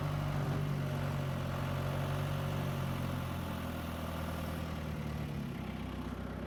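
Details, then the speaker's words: John Deere 2130 diesel tractor after flushing the hydraulics and fitting a new filter and oil. A steady diesel beat as the PTO engages right away and winds up smoothly. Before the change the PTO barely engaged and wound up slowly. Normal running. "Look at that. PTO engages right away. It winds right up."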